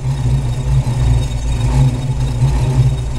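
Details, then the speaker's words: Ford Maverick V8 with faulty MSD 6AL ignition module and test coil: uneven, surging rumble with stumbling beats and spark crackle inside the distributor as the module heats; ignition misfire from badly installed module. "esse barulho é dentro do distribuidor tem até umas manchas pretas n dá para ouvir o barulhinho quando módulo de ignição começa a quentar el começa a fazer isso"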